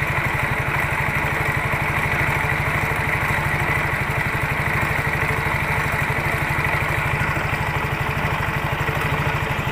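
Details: Yamaha Mio J scooter idling: coarse, gritty rattle from the CVT/belt drive side, very rough; on inspection the CVT roller housing was found loose/worn.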